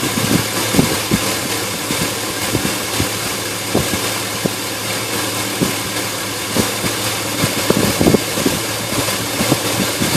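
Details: Engine idling roughly, with uneven thumps and stumbles at irregular intervals over a hissy background; rough idle, cause not evident.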